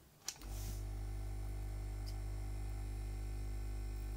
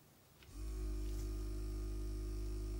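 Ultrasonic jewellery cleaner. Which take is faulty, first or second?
first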